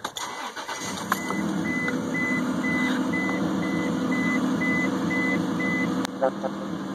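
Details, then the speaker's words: 2001 Isuzu Rodeo started after cleaning the EGR valve, EGR tube and throttle body: engine catches and settles at a slightly high, steady idle with a chime behind; owner suspects leftover throttle cleaner in the intake. "The engine's revving a little bit, I think, because there's probably some throttle cleaner left in the intake, but should be good to go."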